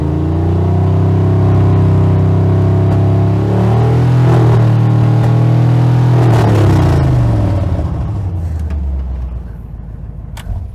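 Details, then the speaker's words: 1999 Suburban stroker V8 with new standard-pressure oil pump, near operating temperature: smooth revs up and back down, no knocks or ticks; oil pressure follows about 10 PSI per 1,000 RPM, judged perfect after replacing the 100+ PSI pump. "So that was absolutely perfect. If we're following the second rule of thumb I said at the beginning of the video, where you want to be at 1,000 or 30 PSI at the beginning and then add 10 PSI for every 1,000 RPM you're at, is exactly what we got with the engine at least closer to operating temperatures than cold."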